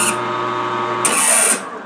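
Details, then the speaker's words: Tap squealing while power-tapping a fine thread for machinist jack adjustment screws: steady machine hum, harsh scraping cut with a thin high squeal, so the tapping was finished by hand. "making noises that ain't dude let me just go ahead and get this out and cut the camera off and hand tap it because it's I hear it squealing"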